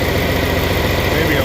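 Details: Short stretch of smooth, even diesel idle with no labouring or whine from the hydraulics on a 4010 tractor revived after sitting unrun for many years; hydraulic pump seems fine, normal idle.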